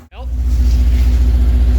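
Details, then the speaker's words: Subaru boxer idling after water pump replacement and unequal-length headers: low, steady rumble with even pulses, no ticking or squeal; quiet and healthy, though steam is seen from the water pump area. "sounds really nice pretty quiet"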